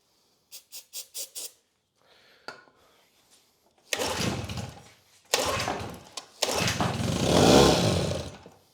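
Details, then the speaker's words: Grandfather's old Evinrude 6 hp Fisherman outboard on choke and starting fluid. It catches in short one-second bursts, then fades and dies each time. Fuel starvation, with the fuel inlet found completely clogged. "I would argue it is not getting fuel. All right, so I am gonna see if I can figure out why it's not getting fuel at this point. All right, so it's completely clogged."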